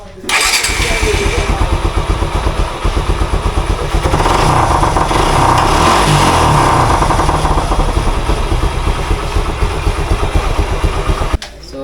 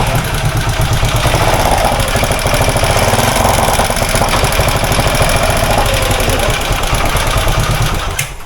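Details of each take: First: Suzuki SF-Gixxer motorcycle: catches right away, then settles into a smooth, even run for ten seconds with no knocking or ticking from the timing chain; the engine sounds healthy. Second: Suzuki SF Gixxer motorcycle engine at idle: fast, light clatter ticking about three times a second over the idle, pointing to a slack, noisy timing chain.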